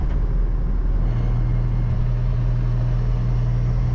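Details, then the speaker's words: Single-turbo BMW N54 daily driver with an aftermarket race shifter that removes the tunnel isolator, plus solid transmission mounts and upgraded motor mounts: constant low drivetrain drone in the cabin while cruising, most noticeable below about 2500 rpm. "It's actually that it gets rid of your isolator and you get a ton of drivetrain noise through this now hole in your tunnel."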